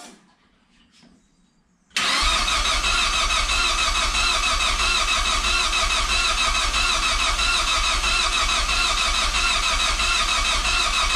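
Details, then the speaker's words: Project Zero 18 first start attempt with Emerald ECU: starter cranks steadily about ten seconds without firing; all fluids topped, no leaks, both fuel pumps running, 2.5–3 bar oil pressure while cranking; owner suspects fuel or ignition timing needing ECU setup. "no kumo come on we have water we have trans fluid we have diff fluid all the fluids are in the car everything's topped off and we don't have any leaks"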